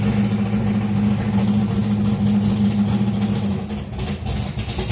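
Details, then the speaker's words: Race-cammed V8 with Accusump oil primer and painless ignition box, cold, just dropped in gear: uneven loping idle with irregular chop about three beats a second; rough lopey cold idle. "And as soon as I drop it in gear, as you can see, cold, it is snotty."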